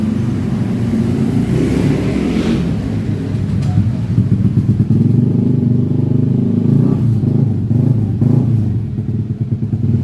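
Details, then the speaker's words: Yamaha Aerox 155 scooter after a total electrical failure was fixed: a wiring connection was found, a previously dismantled body cable was re-taped, and the battery was charged. The small single-cylinder engine starts and runs steadily with an even low beat, no knocks or rattles. "Okay, the only homework here is to research the engine check. And this motorbike can start."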